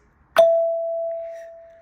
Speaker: So now I am getting only the ding instead of ding dong. This was the ding dong and this is ding.